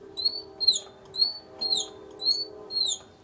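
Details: Briggs and Stratton 14.5 hp OHV engine, just after a valve seating job and carbon cleaning, oil level good, runs fine for a while, then makes sharp cricket-like chirps about every half second; cause unknown.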